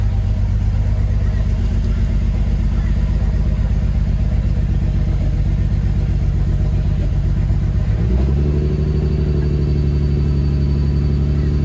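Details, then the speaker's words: Ford Barra engine with 186,000 on the clock, not cammed, before intake gasket replacement: rough, uneven high idle near 2,000 rpm with a lumpy exhaust note that never settles; likely an air leak. "just running really really sort of rough and you'll be able to hear from the exhaust but the car is not cammed and it sounds like this. We've got a very high idle. You've got a high idle at nearly 2k."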